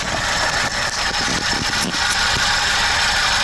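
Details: VAZ 2104 carbureted engine, brought in for high idle, hard starting and a deep stumble. After carburetor checks and strobe ignition-timing adjustment with the vacuum advance hose disconnected, it holds a steady, even idle with a mild patter, no misses or knocks.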